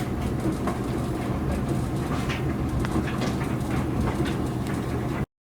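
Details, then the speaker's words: Duet dryer after oiling a stuck idler pulley shaft (temporary fix pending part): steady low drum rumble with faint tumbling clicks; the loud squeaking and grinding is gone. "No more loud squeaking and grinding noise. It's gone."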